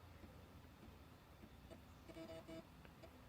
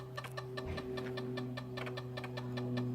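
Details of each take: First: Zenith Z-NoteFlex NTB005 laptop, after a hard-drive "error loading operating system" boot: the floppy drive seeks normally with short buzzy stepping chirps in small clusters and faint clicks as it tries to boot from floppy. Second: Zenith Z-NoteFlex NTB005 laptop hard drive booting after disk I/O error: steady spin hum with sharp, uneven clicks two or three times a second; drive failing, data error reading drive C.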